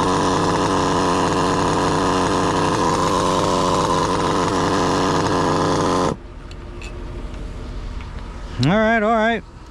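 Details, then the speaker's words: Mugen MBX8T nitro truggy with Nicholson-modified OS 28 XZ, Hipex 2095 pipe, high end leaned out, about 40,000 rpm: piercing steady full-throttle scream for about six seconds, then cut; pulls cleanly despite stripped popping rear diff. "Despite the popping differential in the back because the gear stripped out, it was running sweet."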